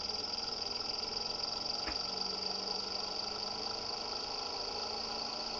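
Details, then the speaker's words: Experimental 3-phase pulse motor with 9 bifilar coils on Bedini SSG monopole circuits, phases in parallel, green phase only, after silicone was added to cure a click: a steady high whine over a soft even hum with no clicking as it spins up fast, running normally. "We'll listen for the click and see if we took care of that problem. Hopefully it's not clicking. So it seems the silicone worked inside there."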